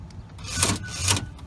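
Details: Ford Explorer power door lock after adding spring: two short crisp whirr-clunks about half a second apart as lock cycles; actuator firing cleanly, lock now works.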